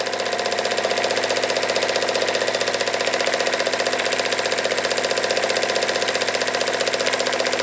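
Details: Jensen Model 25 steam engine, first run: crisp regular knock about four per second on every stroke, louder running clockwise; owner suspects valve linkage, quieted somewhat as it broke in.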